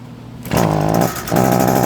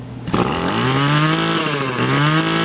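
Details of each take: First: Echo SRM 225 two-stroke string trimmer that won't throttle up: buzzy note surges briefly then sags and won't climb in revs; bogging from a clogged muffler spark arrestor screen, no exhaust felt behind muffler. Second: Echo SRM 225 two-stroke string trimmer after removing the clogged muffler spark arrestor screen: engine climbs cleanly through the revs, holds high speed and settles back without bogging; running properly after the fix.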